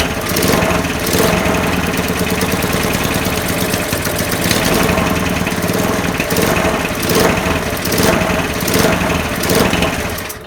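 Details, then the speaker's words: Broken spares-or-repairs petrol walk-behind mower, first start after reassembly with fresh oil and petrol, choke on: runs fast, ragged and surging instead of holding steady revs; throttle seems stuck on, owner suspects sticking automatic throttle mechanism. "So obviously it's running but not very well, so I'm going to tinker around with these, adjust the for some reason the throttle seems like it's stuck on."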